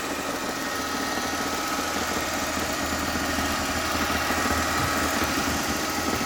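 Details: Mercedes ML320 petrol engine idling: busy metallic rattle, roughly three taps a second, over a steady hum; cause unknown.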